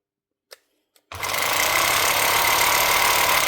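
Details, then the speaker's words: Makita HR2450 SDS hammer drill after replacing a burnt-out motor with a new armature and brushes: a couple of clicks, then steady, even high whir with no rattle or grinding; runs properly. "I see what it sounds like now. Exactly how you like it to sound."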